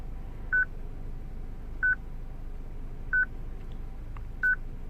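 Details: 2006 Citroen C3 petrol with a used replacement radio: a constant short mid-pitched beep about every 1.3 seconds over quiet hum while the radio otherwise works. It is the radio security lock, because the radio's stored VIN doesn't match the car's BSI VIN.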